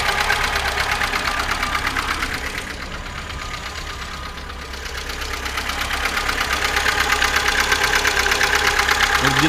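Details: 2005 VAZ 2107 fuel-injected, formerly quiet engine: busy, even clatter at idle near three beats a second, loudest up top; owner unsure whether valves or worn chain; a mechanic suspects worn camshaft lobes.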